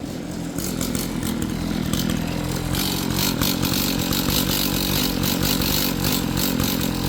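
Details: Two-stroke string trimmer that wouldn't start and smelled flooded, now running after a new spark plug; its buzzy rasp picks up and holds steady without sputtering or dying; runs cleanly now.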